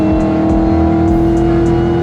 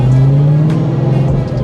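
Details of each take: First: Cobra recorded from inside the car, driving after a new 3.73 gear and 31-spline Moser hardened axles replaced a screaming pinion bearing: engine pulls steadily through the gears, no howl or whine from the rear end. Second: Ford Cobra driving in the rain before a rear-end swap to 3.73 gears and 31-spline axles: a steady low drone holds over road and rain noise. Pinion bearing whine.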